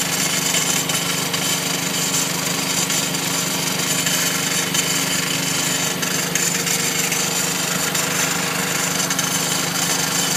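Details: 2009 Mazdaspeed3: rapid, rough rasping chatter over a steady engine hum, heard on the passenger side; source unknown, owner asks what it could be.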